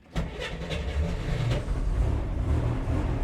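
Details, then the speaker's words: 1966 Corvair Turbo convertible with Mikuni carb, cold start after a couple of pedal pumps: brief crank, catches and settles into a lumpy uneven cold idle; a little cranky until it warms up. "Look at that, look at that. She's a little cranky till it warms up."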